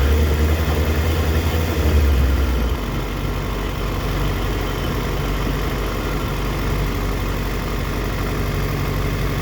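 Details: 2004 Yamaha FZ6 misfiring as it comes down to idle, dipping to 970 rpm against a specified warm idle of 1260-1320. Idle sags, then runs lumpy with uneven pulses; owner suspects a bad ignition coil, common with age, not confirmed.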